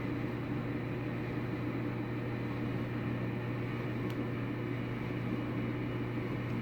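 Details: Samsung dryer after rollers, tensioner and belt were reinstalled to cure rumbling and squeaking. Steady, even low hum with no thumping, squeal or rumble; drum turns smoothly, normal running.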